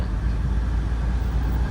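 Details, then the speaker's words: Peugeot 807, 2000 cc, with catalytic converter removed (may also trigger engine warning light): deep, steady, loud low exhaust rumble; loud exhaust from removed catalytic converter. "kataltic compentter kataltic compentternya udah enggak ada sudah dilepas ya itu juga bisa bikin indikator mesin nyala ya"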